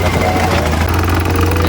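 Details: Nissan Note idling with A/C on: loud steady low drone from worn radiator cooling fan motor.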